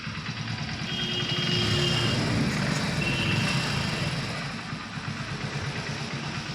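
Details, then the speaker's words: Hero Splendor BS6 motorcycle after new timing chain fitted: small engine idles with a steady, even low thump and no rattle or tapping, timing chain noise gone. "फेंक देता हूं और गाड़ी को start करके दिखाते हैं आप लोगों को यह साउंड कैसा लग रहा है।"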